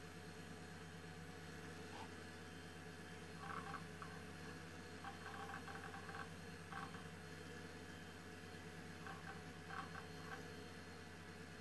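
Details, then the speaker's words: Old High Screen Allround retro PC booting; a quiet, steady fan hum with short bursts of drive chatter, a normal boot sound. "merkt ihr diese Ruhe oh und jetzt starten wir noch mal ohne dass ich quatsche ich liebe diese Geräusche"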